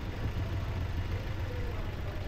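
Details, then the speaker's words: 2020 Toyota Rush, previously crashed: low, uneven idle with a lumpy pulse heard at the exhaust, engine shaking; scanner shows misfire on cylinder 4, coil has power, compression over 90. Rough idle. "Sana makita niyo makita sa video yung ano panginginig tapos chineck ko ito chineck ko na ito kanina yung lumabas sa scanner mpire number cylinder number 4"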